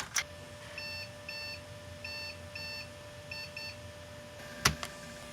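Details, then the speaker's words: 1997 Compaq Deskpro 2000 (AMD K6) restarting after checksum and keyboard errors, CMOS battery dead: short high beeps in quick pairs about every half second, a POST error; owner plans to replace the soldered battery, cause unconfirmed. "so i guess we have to manually change out that battery with solder and we're getting second sets of errors here f1 to boot"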